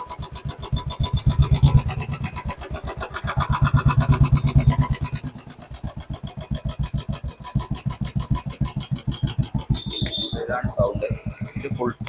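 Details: Royal Enfield BS4 single idling: fast steady ticking over the thump, constant throughout, also on cold morning starts; hydraulic tappet noise caused by the engine being a litre short of oil, not a faulty tappet or oil pump.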